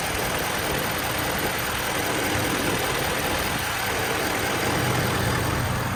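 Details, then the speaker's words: 2012 Ford F-550 6.7 Power Stroke diesel mechanics crane truck, 121k miles, idling with PTO off and AC running: even diesel clatter at settled idle, no misses, knocks or surging, typical PTO chatter; minimal blow-by, healthy. "you'll hear the typical six seven PTO chatter coming from underneath the truck that'll go away when I kick the PTO on"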